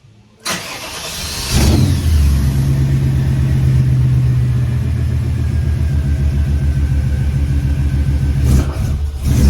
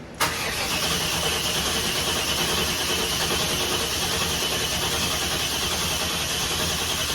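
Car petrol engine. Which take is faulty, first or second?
second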